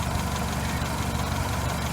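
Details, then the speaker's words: Toyota 4K engine at idle after tune-up and valve clearance adjustment (intake 0.18 mm, exhaust 0.25 mm): smooth, even idle with steady low drone, the earlier ticking gone; valvetrain quiet and healthy. "wala na ho yung ingay niya na lumalagitik. Minimize na po."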